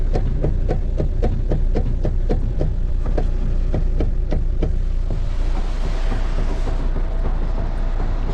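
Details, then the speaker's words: Renault Kangoo 3 at 242,000 km makes sharp knocks, about three or four per second, over a low idle hum when the steering wheel is turned; the steering box is completely worn out and was removed for replacement. "Direksiyonu çevirirken tak tuk ses yapıyor. Araba 242.000'de."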